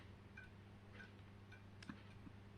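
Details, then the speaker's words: Fitzgerald 6 ft striplight with a dying T12 fluorescent tube and a second starter fitted. Faint dry ticks roughly every half second over a low mains hum; the starter keeps blinking and re-striking because the tube is failing. "but it's already dying. But you can hear that starter blinking on and"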